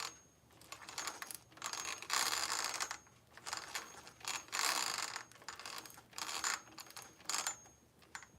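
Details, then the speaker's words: RC vehicle after transmission rework, plastic gear: irregular bursts of dry crunching and clicking as the gears turn, coming and going each spin; gear mesh sounds rough, though mesh was checked and judged fine. "Gears are a little crunchy. Guess that's fine."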